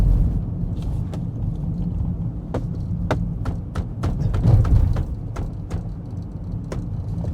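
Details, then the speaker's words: 2026 Rivian R1T Quad Max electric truck on the highway: irregular sharp ticks and clicks over low road rumble, scattered rather than steady, loud and coming and going; driver suspects something loose inside a door, cause unconfirmed. "Except there's something shaking. Something's rattling pretty loud."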